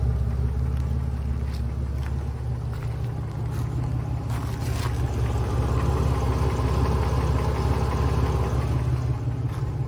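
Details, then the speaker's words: Old GM wagon V8 after overheating, with the temperature gauge pegged in the red, coolant on the belts and no power steering: a faint light knock from the bottom end at idle, roughly three per second; cause not confirmed. "No power steering, and now I got a knock. A light knock at the bottom end of the motor."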